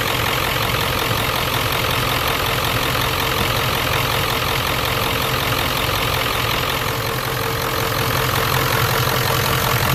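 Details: 1994-97 Ford 7.3L Powerstroke with mechanical pump, just after the first start following a fuel bowl delete regulated return kit install: steady, even diesel clatter at idle with no misses or hunting.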